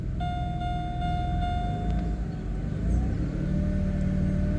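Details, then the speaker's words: 2008 Pontiac G6 3.5 L warming toward operating temperature at idle while bleeding air from the power steering pump: thin steady whine riding above the engine from air in the pump. "Hope you can hear that whine. Can you hear it now?"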